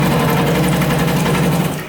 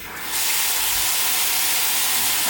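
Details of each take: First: Noisy household tap running: loud, steady low buzzing judder through the pipes, caused by a loose tap washer. Fixable for free by dealing with the tap washer. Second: Kitchen tap after the fix, with the washer and fitting retightened and the mains turned back on: smooth, steady hiss, brief stop, then flow again with no hammering or knocking.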